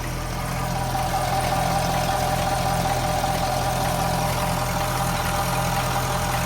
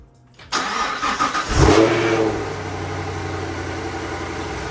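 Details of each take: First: Chevrolet Camaro LT2 V8 idling after intake manifold install with foam removed: even idle with light loosely regular rattle, two or three a second; owner suspects high pressure fuel pump or exhaust leak, unclear. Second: Camaro V8 first start after swapping the LT1 intake manifold for a ported LT2 C8 manifold, with 90-degree elbows and a MAP extension harness; brief crank, quick rev, then a steady, even idle; starts cleanly; normal engine start.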